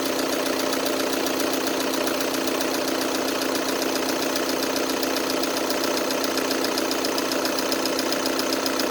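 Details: 2012 VW Tiguan 2.0 TDI 140 hp at idle: steady diesel idle with a fast, even ticking clatter of about four per second; owner asks whether other owners hear the same; source of the noise undetermined.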